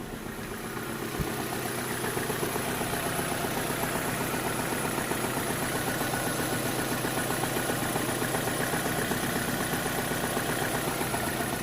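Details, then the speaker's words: 2010 Vauxhall/Opel Astra H 1.6 petrol, cold idle at exhaust, petrol smell from tailpipe: stumbles unevenly, pulses dropping out irregularly, surging not smooth; misfire from a cylinder with very low compression. "but as soon as the cold start finish you're gonna see you can feel even here you can feel the car is sort of there's no running smoothly sort of surging kind of"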